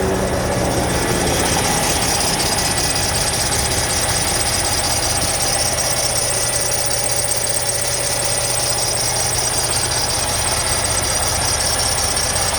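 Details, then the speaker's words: 2012 Volvo truck diesel, cold start after sitting over 2 months, low fuel, RPM raised to warm up: thin high squeal over steady rumble; owner suspects the belt, maybe the tensioner; squeal at idle. "Probably go for a belt, maybe a tensioner."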